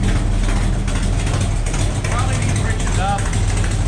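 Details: 1972 Buick Skylark with a freshly installed 427 V8 on first fire for break-in, rocker straightened and timing checked: deep, smooth, even idle rumble with no tick or tap, valvetrain quiet and healthy; exhaust has an open O2 sensor hole.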